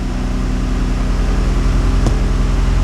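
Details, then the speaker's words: 2GR-FE V6 swapped into an MR2 (factory Rav4 fuse box), still cold at 127°F, idling high around 1290–1300 rpm after wiring cleanup, 13.8 V charging; smooth, even idle with steady beat, no misses, ticks or knocks: normal idle while warming up. "It sounds like it's running good. I don't see anything bursting into flames, so knock on wood."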